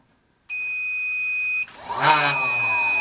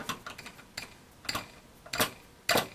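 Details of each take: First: Small DC motor removed from a hot air corn popper, bench-run on a 15 V low-current DC power supply: clean tone sweeps up, settles into a steady hum, winds down; runs smoothly, judged a keeper. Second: Hot air corn popper disassembled, fan motor shaft spun by hand: scattered dry ticks and scrapes instead of free coasting, not spinning as freely as it should; motor bushings worn out.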